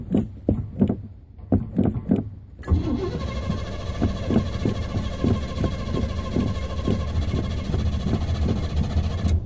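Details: Slow, even cranking pulses run for over two seconds before the engine catches and settles to a steady idle, right after filling the tank; hard starting with extended cranking.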